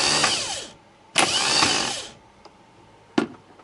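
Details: Starter after cleaning its roughly eight-year-old brushes (brush plate rusty), bench-tested with positive connected: two short bursts of high whirring spin up freely and coast down smoothly with no grinding. Normal starter motor spin.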